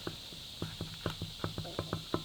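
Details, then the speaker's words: Harley WLA engine with a suspected seizure, crank rocked by hand with excessive side play and wobble: sharp metallic clunks about four a second from worn crankshaft and connecting rod bearings that will only get worse. "Hear that? And that, once it's gone like that, it will never ever ever get any better. It will just keep smashing itself to pieces."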